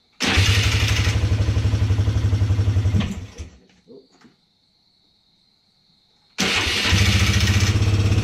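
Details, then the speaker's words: Polaris Sportsman 300 single cylinder at fast idle after timing chain and valve adjustment: light tapping over the thump, then it stops and restarts; top-end tick, owner suspects valve tap, unconfirmed. "actually run but it still sounds like it's making that ticking sound sounds like it's coming right from the top end"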